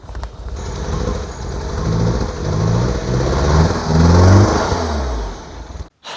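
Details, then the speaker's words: R56 Mini Cooper S, N14 engine, automatic gearbox, after head rebuild: revs rise lazily and unevenly with a lumpy, flat note and no crisp pickup; camshafts were installed out of time during the rebuild. "I don't really know what to say, but we made quite a big mistake and I'm partially to blame. And I'm just amazed that this engine is still even running."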